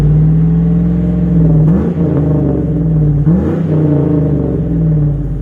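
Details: Stock 5.3 Chevy Silverado V8 truck with a single exhaust through the Edelbrock muffler, before the Magnaflow swap. Deep, smooth idle rumble with two quick throttle blips that rise and settle cleanly, no ticking or leaks: a normal exhaust sound.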